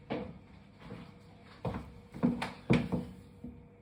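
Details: Wahoo Kickr Rollr bike trainer, after the roughly two-minute warm-up squeal fades: dull, slightly uneven knocking about twice a second continues throughout riding; cause unclear.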